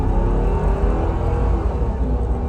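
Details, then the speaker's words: Mercedes G500 V8 under hard acceleration from a stop sign, recorded inside the cabin with the air off: deep, even rumble, smooth shifts through all gears, no misfires, clunks, squeaks or rattles. "so shifts totally smooth through all the gears that's probably actually the most i've ever accelerated this thing before"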